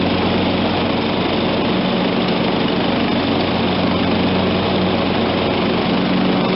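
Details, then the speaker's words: John Deere LT160 automatic, Kohler Command 16hp engine, 42-inch Edge deck, blades engaged after repairs: steady even engine drone, no surging, knocking or hunting; runs properly under load. "so hey i think we got a winner here folks lt 160 automatic 42 inch edge deck in good running condition come from a junkyard dog"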